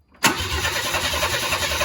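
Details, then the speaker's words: 1994 Chevy C1500 Vortec, first start attempt after starter fix: starter catches sharply, then steady chugging crank near four beats a second with no firing; cranks but won't start, owners suspect no fuel. "It cranks, man. That's it. Is there fuel in there? Is it wet? Mm-hmm. I don't see nothing, man. I wonder if it even has fuel in there."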